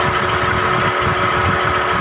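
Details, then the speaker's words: Car idling with AC compressor engaged: steady, even idle with a low hum and fan noise, rpm dropping slightly under compressor load; the pulley and ventilator turning show the compressor works. "But you'll hear a certain load appearing on the engine. Again, the RPMs will go a bit down."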